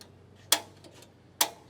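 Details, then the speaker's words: 2020 R-Pod 193 RV griddle burner, knob pushed in and rotated to the big light section: two sharp, crisp clicks about a second apart over quiet background. Piezo igniter clicking normally until the burner lights. "And you can see, you hear that clicking noise. That's actually an igniter. So all you have to do is keep rotating this thing until it lights."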